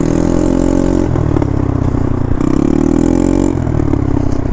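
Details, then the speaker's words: Honda motorcycle with a Yoshimura exhaust, heard while riding: a rough, uneven exhaust note with lots of popping and backfiring as the throttle changes. Exhaust problem suspected. "but the more that I listened I'm like no it's something with the exhaust something doesn't sound right"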